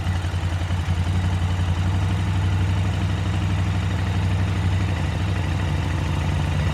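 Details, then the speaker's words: KTM 950 V-twin during carburetor synchronization, rear carb adjusted to match a reading of about 10: low, loping idle with a steady, even thump and no stumbling or surging between cylinders; properly balanced. "you'll hear how the bike kind of balanced out as i got close to 10 so we'll see what the front one looks like now"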